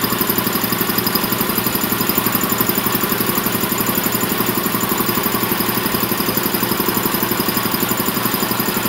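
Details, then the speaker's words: Champion VR5-8 80-gallon vertical piston air compressor (5 or 7.5 HP, up to 175 PSI), oil changed a couple of times: even, steady pumping thump under a constant mechanical clatter, no knocking or squeal; normal running. "basically that's the setup it's been running great changed oil a couple times no problems at all um i'm gonna turn it on here and let y'all hear it run"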